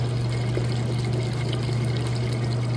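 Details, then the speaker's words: Crosley top-load washer on a regular cycle, warm/cold, super water level, in its neutral drain (tub not spinning): constant low pump hum under trickling, gurgling water. Heating running overhead adds noise. Healthy drain pump. "My heat's running above us, so it's a little loud, but you should still be able to hear that water draining"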